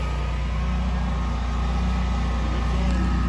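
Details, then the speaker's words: Standby home generator running after Hurricane Isaias outage: low steady drone surging about once a second as it hunts, starved for air by brush around the enclosure, which must be cut back. "you can hear it starving for air making it hunt and instead of me wasting time i'm going to find the homeowner and tell me he's got to chop this away"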